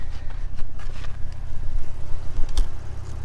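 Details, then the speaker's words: Lexus RC350 with PPE headers and resonators, Invidia mid-pipe replaced by stock mid-pipe to cure rattle/whooshing, recorded from under the car: low steady rumble, no buzz or rattle; noise about 85 percent gone. "the noise is gone like 85 percent"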